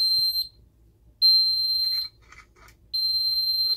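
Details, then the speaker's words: Ademco 6137R alarm keypad, carbon monoxide zone 04 in alarm: piercing high beeps in long even bursts about every 1.7 seconds in a quiet room, intermittent CO alarm pattern; display shows only alarm, no CO indicator. "Again, it doesn't have a little CO display, so it doesn't show anything except for alarm and doing the intermittent beeping."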